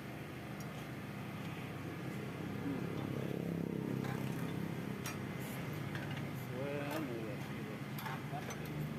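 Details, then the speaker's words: Yamaha New Vixion (NVL) single, idling with valve cover off; uneven metallic clatter about four ticks a second from the head, rocker arm bearing crumbled and not rotating, letting valve clearance loosen. "Ya setelah dicek di bagian pelatuk klep atau Rocker arm-nya di bagian in yang bermasalah Sepertinya lahernya itu tidak berputar ya teman-teman kelarnya rontok jadi dia tidak berputar sehingga setelan klep bisa kendur sendiri"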